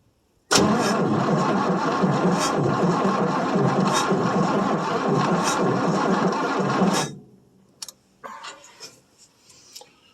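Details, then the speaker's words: 1967 Chevrolet C10 small-block, cold start after three to four years unused, weak battery, poor carburetor: about six seconds of steady cranking near three beats a second with no firing, the engine flooded. "apparently she flooded herself out well I knew the kill car bear wasn't very good"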